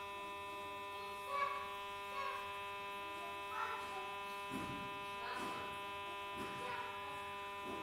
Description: Samsung J2 making weird noise after disconnecting from call